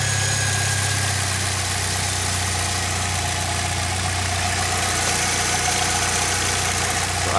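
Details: 2006 Saab 9-3 2.0T turbo four, 189,000 miles, idling after valve cover gasket replacement, before oil change; smooth, even idle with steady low hum, no misses, knocks or ticks; normal idle.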